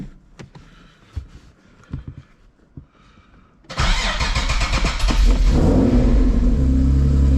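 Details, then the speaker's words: Infiniti G37 with earlier limp mode (VVEL code) after MAF cleaning and intake check: scattered cranking clicks for almost four seconds before catching and revving; hard start with extended cranking, started on third try with a little gas, cause not found. "Let's try again. Interesting. This thing don't even want to start."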